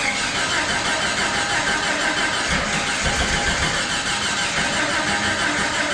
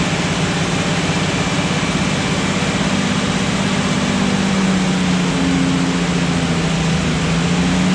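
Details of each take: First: Jeep (Jurassic Jeep #73) first start-up after body-frame reassembly: starter churns steadily about three turns a second but never catches, no rpm. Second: Restored Jurassic Jeep #73 engine during 20–30 minute break-in on first run after reassembly and distributor turned 180°; even drone rising and falling smoothly as rpm raised and lowered, no knocks or misses: normal.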